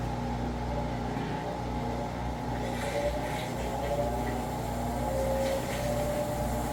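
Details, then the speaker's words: Amana/Whirlpool-type top-load electric washer, empty drain-and-spin after belt conditioner and recalibration: steady low hum and soft whir as it speeds up, no belt screech. "there you go that's what it should sound like running empty no more ticked off Eagle screeching sound"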